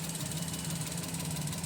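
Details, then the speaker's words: Maruti Suzuki Alto 800 at idle in neutral, intermittent misfire, no check-engine light: idle lumps unevenly with irregular stumbles and pulsing beat; misfire traced to a failing ignition coil. "इसकी missing ये भी आप देख सकते हो इसमें कितनी missing है अभी हमारी गाड़ी स्टार्ट है"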